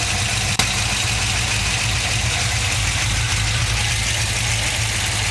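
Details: LS2 V8 ticking at idle: fast, light tick about three per second over a steady idle; source not pinned down, cause suspected but unconfirmed.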